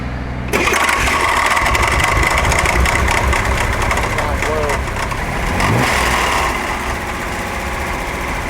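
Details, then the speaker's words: 1961 Corvair Lakewood, trouble on a desert road trip after only pushrod tube work: starts and runs with an uneven knock about three per second over idle, fan belt removed to rule it out; suspected spun, wiped bearing letting the rod hit the case. "think I spun a main bearing so it was a crankshaft spinning in the engine but it's just it's hitting everything that it shouldn't be"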